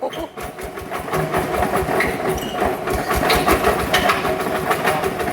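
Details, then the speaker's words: Yanmar TF85 LM single-cylinder diesel before a rebuild, reported to have a noisy bearing: idle chugging with an uneven, loose knock under each firing beat. The fifth crankshaft roller bearing is worn or broken. "อ่ะลองดูดิโอ้โหอืดูแล้วเป็นไรอ่ะลูกปืนเม็ดนอนเม็ดที่5เป็นขี้กากนี่ต้องความชำนาญเท่านั้นถึงจะรู้"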